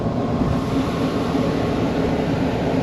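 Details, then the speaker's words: Kitchen exhaust fan after replacing its motor with a new 208/230V three-phase motor drawing 2.6 A, belt drive with the adjustable sheave at maximum: an even steady whoosh with a low constant hum, no rattle, squeal or bearing growl; much quieter, like a new fan. "so much quieter and better now look at that so much better it's like a new fan"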